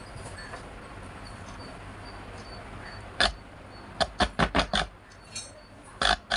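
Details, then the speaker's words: Scrap-shop amplifier restoration with two original ICs and a tested transformer: quiet background with no hum, short buzzy bursts each time the audio input is touched; left channel confirmed working, right channel also works. "பாருங்கள், துளி கூட humming sound இல்லைங்க, கிளியராக இருக்குது."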